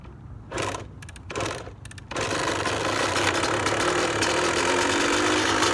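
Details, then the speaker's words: 2003 Kawasaki KX125 two-stroke used dirt bike, started without choke: after two kicks, crisp even idle with no top-end knock, but idles slightly high. The prospective buyer suggests a crankshaft seal at worst, unconfirmed. "engine runs good it sounds good it's crisp but it doesn't have any knocking noise up top in the top and it started without the choke the idles a little bit high"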